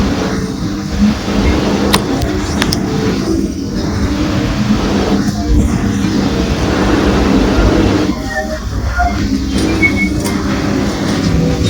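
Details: Old USHA ceiling fan at grandparents' house runs with a steady low drone and a recurring clattering rattle every couple of seconds; its speed regulator also does not work.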